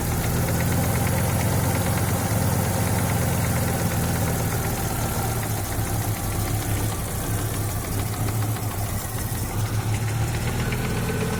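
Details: Audi 2.3 NG engine, warm idle after reaching 70-80°C, smooth when cold. Dull, fairly regular low knock that grows with heat and stops at 1400-1500 rpm. Loudest on the right side of the oil pan near cylinder 4. Pulling cylinder 4's plug cap stops it for about 4 s. No rod-end play found. Cause unconfirmed.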